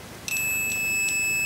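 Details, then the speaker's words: Lidl multimeter in continuity test with probe tips touched together: a short click, then a high steady beep that starts late with a soft ticking pulse; the beeper responds sluggishly and unevenly. "aneh, Tack Tack Tack yang bereaksi juga tidak segera saya pikir pager akan digital entah bagaimana mematikan chip Saya hanya membuat bunyi bip pendek"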